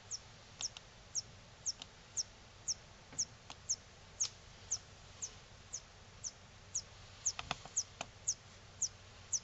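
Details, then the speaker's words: Philips 42TA2800 LCD TV with no power: high, thin chirps about twice a second from the power supply repeatedly trying to start, failing and shutting down, possibly from an overload. "so what that is is uh the power supply is trying to start up and it can't for some reason possibly an overload for example and uh shutting down and then uh repeating start up fail shutdown start up fail shutdown"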